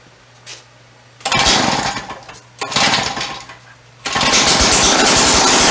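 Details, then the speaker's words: Free two-stroke auger started by feeding fuel-oil mix down the carburetor: harsh, raspy, very loud open-sounding bursts that catch and die; the exhaust/muffler seems missing or damaged. "We have a runger. That's all I'm doing tonight. Sounds like the exhaust is non-existent."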